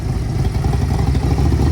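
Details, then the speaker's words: 1990s Harley-Davidson Ultra Classic twin bought cheap at auction, running on choke with carb needing rebuild for hesitation: deep, even low rumble with steady loping beat, no clatter or misses; motor sounds healthy. "that motor sounds really good to me."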